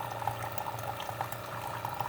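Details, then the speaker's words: Keurig coffee maker, reported as not shutting off water but now working: steady air-pump hum with bubbling as air forced into the heater unit drives water up the pipe through the K-cup, blowing out the remaining water. Normal brewing. "it's forcing air into the heater unit displacing the water up this pipe and through the k-cup blowing out the rest of the water"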